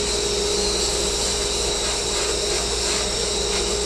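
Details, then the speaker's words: Dust collector on a sandblast cabinet running during blasting: steady, even rushing whoosh with a constant mid hum, no surging or rattles, fairly quiet; normal dust collector operation. "But I can say that that dust collector's doing its job. You hear it's pretty quiet."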